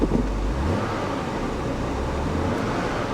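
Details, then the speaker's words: Cadillac with 106,000 miles on the odometer, service engine soon and left-rear TPMS lights on: low, steady, even idle rumble with no tapping or stumbling; engine runs great and sounds healthy. "TPMS light gee it says the left rear tire is low huh we better check on that it actually runs great 106 000 miles on the odometer"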